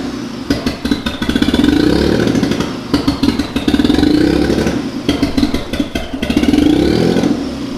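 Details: Mitsubishi 3000GT VR4 twin-turbo 6G72 V6, new engine first start: revs surge and fall in uneven waves with ragged stutter and clatter; owner suspects misfire from something unplugged, possibly a rear injector connector.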